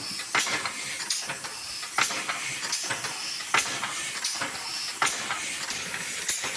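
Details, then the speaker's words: Old rusty air-powered locomotive "Tornado", unused over a year, after a fitting was replaced but with another leak still dropping pressure. Soft, slow hissing exhaust puffs about one to two a second; running slowly from an air leak. "we replaced another fitting but there was still a leak somewhere else because the pressure was dropping quickly the old girl is breathing again how exciting quite"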